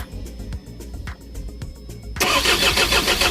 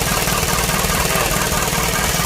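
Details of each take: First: Isuzu 4HG1 diesel with defective supply pump module: starter turns the engine over at about three and a half beats a second for six seconds but it never fires; crank, no start. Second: Isuzu 4HG1 diesel, running after no-start troubleshooting (defective supply pump module found): regular, even clatter at steady idle with no stumbling or hunting; normal idle.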